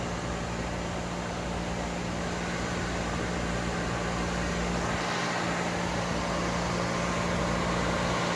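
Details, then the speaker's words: Dodge Intrepid electric radiator fan wired via 30 amp toggle switch and 40 A relay, one fan blowing towards the engine: steady even whoosh with a low hum, no ticking or scraping. Normal fan operation. "I don't know if you guys can hear it or not, but that's my fan. That there is one of my fans, and I am blowing towards my motor."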